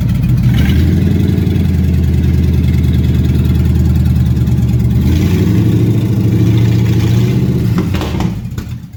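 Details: 1957 Chevy hardtop (LT1 Roadmaster conversion project) after advancing ignition timing, warming up; strong, even low rumble with a brief rev and clean drop back, no misfire or stumble — normal running.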